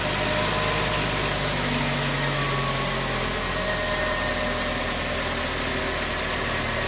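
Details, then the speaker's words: 2019 Toyota Tacoma 2.7 L, fully cold start after replacing accessory belt, tensioner and noisy idler pulley: steady, even idle with smooth hum and no chirp, squeal or rattle; engine sounds healthy. "y bien como se pudo ver arranca de manera completamente normal Eso es lo que queríamos"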